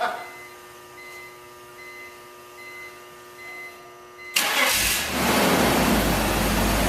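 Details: 2002 BMW 330Ci after fuel pump replacement: quiet pump hum for four seconds, then the engine catches abruptly and settles into a steady even idle; clean, healthy start.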